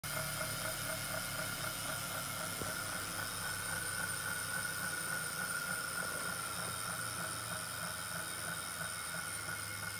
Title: Wahoo KickR Core 2019 Vibrations / Sounds